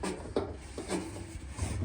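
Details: Samsung front-loading washer-dryer with a loose drum, turned by hand, giving a low scraping rub with dull knocks and binding: cracked spider arm (tripé); fix is new spider, both bearings and seal.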